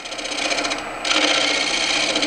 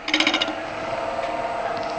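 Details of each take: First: Green-turned elm bowl, dried and gone oval, back on the lathe: steady, unbroken rasping scrape with no catches as a gouge turned on its side scrapes across the grain on the trued-up area. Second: Dried elm bowl, green-turned months earlier and gone oval, back on the lathe at about 1000 rpm: spindle gouge scraping gives quick rattling chatter on the high spots, then steady hiss; intermittent tool contact on an out-of-round blank.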